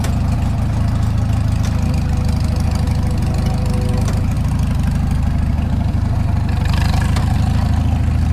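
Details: Farmall Super M tractor before engine rebuild: low heavy idle with steady rhythmic thud in each firing beat; engine knock present, source not yet found.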